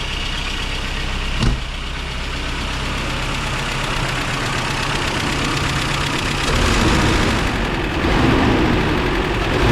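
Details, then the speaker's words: 1994 Toyota Pickup work truck idling after new starter and new fuel filter fitted: fairly steady, even beat with no obvious stumble, running way better; normal idle, not yet tested under load. "Oh yeah, that's way better."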